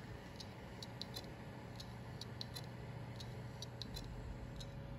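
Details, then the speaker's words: Seagate Barracuda hard drive in a Dell OptiPlex 790 SFF, suspected dead: faint sharp ticks in uneven clusters, two or three a second, over a low hum; failing drive clicking, not detected in BIOS. "so let's find out it's making some curious noises"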